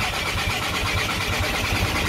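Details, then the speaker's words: VW Golf Mk5 1.9 TDI after camshaft replacement, with cam timing still needing adjustment: starter churns in quick even pulses, about four a second, and the engine never fires. Cranks but won't start; owner unsure whether the camshaft position sensor is to blame. "we couldn't get done last night it won't start so I don't know if it's a camshaft position sensor or what"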